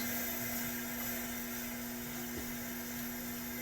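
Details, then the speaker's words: Coleman 414 Powerhouse two-burner stove (August 1993), probably old fuel, burner turned down low after boiling 1 liter in 4.5 minutes: steady even hiss, faint constant hum, no sputtering or surging; healthy burner at low flame. "so as you can see the stove is working very good 4 and 1/2 minutes to boil 1 liter of water with probably old fuel"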